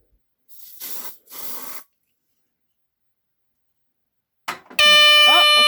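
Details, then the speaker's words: 1978 Westclox portable smoke alarm (Edwards-type horn) hit with test spray: two short spray hisses, a pause, then a loud piercing steady alarm tone; a little fussy but responds. "it works little fussy and it moves okay"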